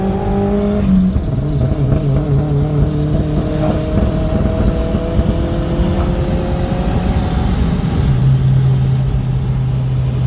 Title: b5 a4 1.8t ko4, custom tune, with some misfiring.